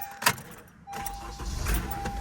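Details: 2013 Honda Accord 2.4 after starter replacement: key click and a quick crank, then the engine catches at once and settles into a quiet idle with a little rattle; the new starter works properly.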